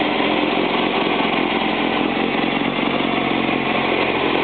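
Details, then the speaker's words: Freshly built VW-type 1835 engine test-fired for the first time, with a custom-ground cam on chilled-iron billet and Scat lifters; steady, even running with a smooth, unbroken beat and no knocks or ticks; healthy new engine. "Well, Randy, what do you think of your motor? It sounds good so far."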